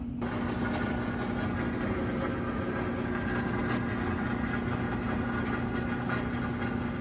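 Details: Whirlpool washer that hummed and would not spin due to a bad capacitor: steady, even low hum with constant fine buzz, no knocks or surges; motor running normally.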